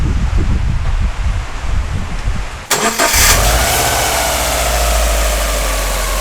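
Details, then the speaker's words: Subaru EJ20 Bugeye WRX misdiagnosed with rod knock, after fitting new timing belt kit and tensioner (old hydraulic tensioner leaking): engine cranks, fires and settles into smooth even idle with no knocking. "so we got the new tincture kit new tensioner and time belt kit in let's start it up and see what sounds like"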